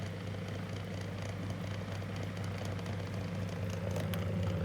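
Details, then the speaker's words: 2002 Lloytron F029 9-inch desk fan after repair, high speed: even, steady motor hum with only a faint light rattle; runs as it should, much improved. "Let's try high speed. Got a bit of a rattle to it, but yeah. How it's supposed to sound. Yeah, that's remark remarkably better."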